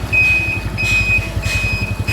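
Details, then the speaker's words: 1981 Honda Super Cub 700, three-speed single-cylinder, air filter blocked off: steady low idle under a clear high turn-signal beep pulsing about once a second, front, rear and right signals working; engine healthy. "Kalau motor zaman dulu tuh kalau ngesen bunyi, ada suaranya. Sen depan belakang hidup, sen kanan nyala juga,"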